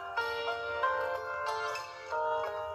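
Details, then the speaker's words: Dell Inspiron Mini 1012 notebook that had no sound, faulty speaker replaced (not a software or driver fault), tested after booting into Windows: clear music with steady tones and no rattle, buzz or dropouts; speaker sounds normal again. "sayang sekali biarkan ini Tengker yang lambang speakernya udah juga suaranya sudah ada teman-temannya"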